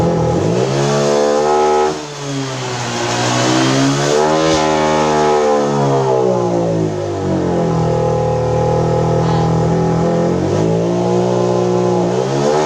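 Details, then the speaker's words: Honda PCX 150 scooter, no DTC stored, no warning lights: revs climb then waver and surge near the top, note dipping and recovering; stumbles and loses power near 10,000 rpm at full throttle, smooth again when throttle is eased; high-rpm stumble and power loss. "Tapi motor ini ketika putaran mesin di atas, dia terjadi berbet, hilang tenaga. Turun gas sedikit dia enak lagi, pol gas dia merebet gitu ya."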